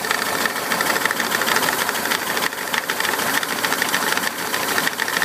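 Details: VW Bus Type 4 engine at idle: sharp, irregular ticking knock over cooling fan whirr, located at the fan's 12 o'clock position; cause unknown. Knocking noise near cooling fan.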